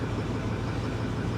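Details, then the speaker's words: Likely 2009 Ford F350 dual rear wheel on a cold day, idling lumpy and uneven with regular stumbles that persist when throttle is given; check engine light not lit, cause unknown: misfire at idle. "She's misfiring. Hear that? Yeah, she's misfiring pretty bad. See if it clears up when we give it a little throttle. No, it doesn't."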